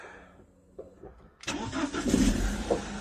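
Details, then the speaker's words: BMW E46 318i starting after a no-crank, no-start problem: quiet click, short crank, then catches cleanly and settles into a steady idle; healthy start. "Oh, it is so good to hear that sound."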